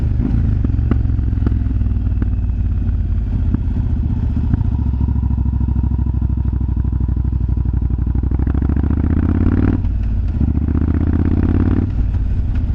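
Loping V-twin idle with irregular sharp pops and crackles from the exhaust, louder as revs change; exhaust popping, cause unknown.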